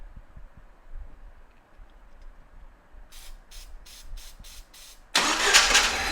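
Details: 1997 Jeep Wrangler, first start after installing the starter motor. Quick cranking pulses turn into a harsh hissing scrape; the shield around the transmission near the starter seems to be contacting something and may need adjusting.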